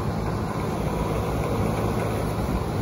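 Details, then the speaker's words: Goodman heat pump outdoor unit installed 2004, 17+ years old, shut down by customer after a loud squeal: runs with steady low fan rumble and faint cabinet rattle, no squeal; fan blade spins freely, not hitting anything. "lot of help not much noise besides a little bit of goodman rattle there rattling around you guys can figure that out"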